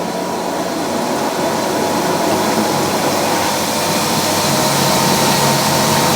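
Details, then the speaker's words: Fisher & Paykel washer running a normal load after repair: steady even whirring with pump drone underneath, no bearing rumble or grinding from the drum. The noise heard is the pump, not the bearings; running normally. "sounds pretty good this sounds much better you can't hear the bearings all you can hear that noise that you're hearing is the pump it's not the bearings it's the pump"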